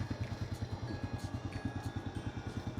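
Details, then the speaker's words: Honda motorcycle with sidecar, over 10 years old, parked about a year, no battery fitted: small single putters at an even beat with no clatter or misses; owner says engine is smooth and quiet; normal idle. "เครื่องนิ่มเงียบเด้อครับ"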